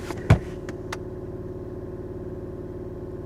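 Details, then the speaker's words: 2017 BMW i3 REx with its gas range extender running because the battery is depleted; brief clunk, then a steady, even low drone with no knocks or ticks. Seller thought it had internal engine noise; the range extender sounds normal. "I do hear a slight noise from the Rex. Doesn't sound like anything crazy."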